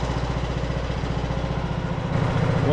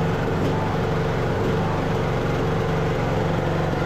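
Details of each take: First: Craftsman LT2000 riding mower, almost 20 years old, just after fitting a new carburetor with a temporary air filter (it popped at low rpm without one): an even, low thump at a steady idle. It runs great, though the idle may need slight adjustment. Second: Craftsman LT2000 riding mower, almost 20 years old, with the hood off and run without choke before the carburetor swap: the small engine hunts unevenly, dipping and recovering. This is idle surging blamed on the faulty carburetor.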